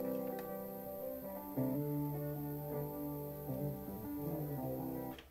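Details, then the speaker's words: Panasonic RX-FS470 auto-reverse cassette boom box, played with a tape that long lived in a car: playback is muffled with no top end; a worn tape head is suspected, head misalignment thought less likely. "so not much high end that maybe the worn out tape head it might be an alignment tissue but I don't really think so"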